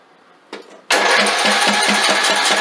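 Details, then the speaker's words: Craftsman LT2000 lawn tractor single, sat in a yard for years, after freeing a frozen governor and throttle plate: starter clicks, engine catches and runs steady and even with no knock or smoke; starts fine. "Well, we got a good engine. That thing don't knock, don't smoke, don't do nothing."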